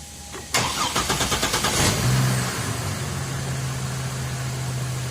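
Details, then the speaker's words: GMC with earlier crank problems, after camshaft-related repair and new battery replacing one that failed crank test; starter spins briskly about three turns a second under two seconds, slight drag, then catches to steady idle; healthy start. "yeah that seemed like a little drag but that's that's that is perfect for now and I think we're good"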